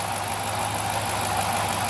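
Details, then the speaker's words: 2008 Dodge Charger idling: steady rough metallic grinding and gurgle over a low hum, with normal injector ticking; owner suspected the timing chain tensioner, but the finding is a worn water pump bearing. "kind of grinding gurgling metal metallic noise you can also hear the injectors pulsing that tick tick tick tick tick but that grinding noise is not normal"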